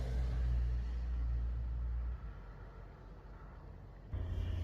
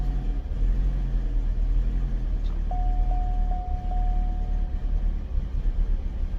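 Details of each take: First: Chevy Cobalt SS four-cylinder at idle after engine replacement: deep, slightly uneven rumble from a misfire; the scan flagged fuel injector 3, and cylinder 3's injector is disconnected or its wiring is not hooked up correctly. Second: Chevy Cobalt SS after engine replacement, which had a slight misfire with the scan tool pointing to the cylinder 3 fuel injector, started after troubleshooting; very low, likely old fuel, seems rich: steady even idle, no misfire, runs much better.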